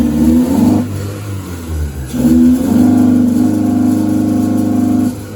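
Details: 1979 Toyota TE31 Corolla with 3SGE Beams engine, inline 255 fuel pump and regulator: revs climb, sag and surge unevenly instead of pulling cleanly, fuel pump whining audibly; stumbling on the rev, cause identified but not stated.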